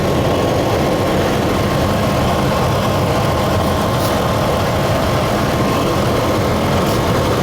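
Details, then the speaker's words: Truck, warm engine, struggling to idle and running a little rough; it surged to 2000 rpm when first started. Steady low drone with an uneven texture and no clear knock. Owner suspects a hissing vacuum leak. "could be two because the engine's still warm maybe it only does that on a cold engine it's running a little rough too"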